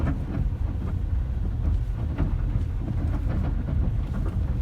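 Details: Lada Vesta sedan with a faulty right-side engine mount that returned after an earlier warranty mount replacement: deep steady engine rumble with dull, irregular thuds from underneath as the worn mount lets the engine knock.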